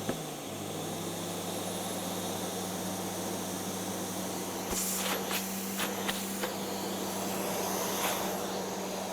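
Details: Hoover Sensotronic Total System 50 vacuum cleaner, heavily damaged, on its first untested power-up: the motor spins up smoothly to a steady even hum with airy rushing and holds speed without knocks or rattles. It runs normally.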